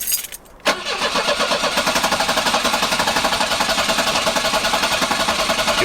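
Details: 1984 Volvo 240 that died and left owner stranded on the interstate: starter cranks steadily at about four pulses a second but engine never catches; crank no start, cause unknown.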